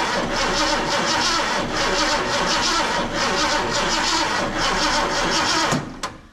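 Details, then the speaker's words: Mercury XR7 parked wrecked in a shed for 20 years, first start attempt with fuel poured down the carb: steady starter churn with no firing; cranks but won't start because the ignition key was not on. "well it didn't fire right up oh you know what I think we need a key on"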